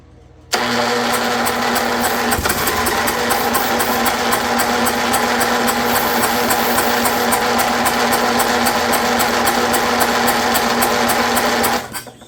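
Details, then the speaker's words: Snapper rear engine rider, Briggs 12 HP engine abandoned for years, cranked by jumping the solenoid with bad battery connections and starting fluid: starter spins steadily about eleven seconds, no firing; spark plug dry, no fuel reaching cylinder. "I'm not sure why it's not firing up though. I pulled the spark plug out. It's dry, so it wasn't getting any fuel, but it looks antique."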